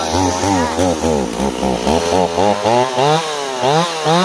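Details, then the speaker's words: Warm Stihl 028 chainsaw after new crankshaft seals: revs rise and fall in a rapid hunt about twice a second, never settling; surging idle, owner suspects an air leak between carburetor and intake boot. "how it's constantly changing no matter what we do with our tuning? I think we have an air leak,"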